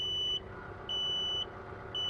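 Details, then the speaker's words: Tractor 3-point hitch assist engaged, activation button held while pressing forward to creep: steady high beep repeating about every second over faint low engine hum; normal hitch-assist warning beep. "Once you push this down, you will then begin to hear the beeping sound. And then what you want to do is push down on the direction you want to go."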